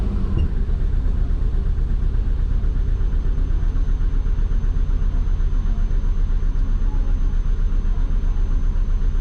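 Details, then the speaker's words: Twin-turbo Subaru idling before being put in gear, at the start of a drive: lumpy, uneven low pulsing, with knock correction usually logged and the fuel pump audible. Rough idle. "it's rough. Usually getting knock correction."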